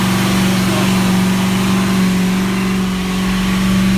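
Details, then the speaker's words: Ford 351 V8 EFI in a Four Winns boat after drivetrain rebuild (new drive coupling, gimbal bearing, transom seal), under way at about 3,000 rpm, gauges in the green: steady deep drone, smooth and even, no knocks or misses; healthy. "Everything's in the green. What a great thing. 3,000 RPM. Look at the state of that, eh?"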